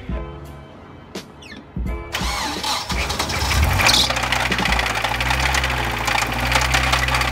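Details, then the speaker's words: Nissan 240SX S14, started after 2 years sitting: a few cranking clicks, then it catches and idles with a rough, regular knock, worse on the first start; rod knock. "So, I advanced it, cranked it, as you guys seen, it started right up. But, there was a knock. Now, the knock was that was probably the second time we started it. The first time the knock was really bad."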